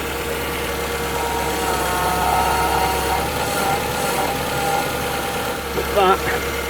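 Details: 2008 Ford Fiesta Mk6 1.2 after fixing a power steering fluid leak at a pipe: a smooth, even idle with a steady low hum and no pump whine or groan; the system is healthy and leak-free.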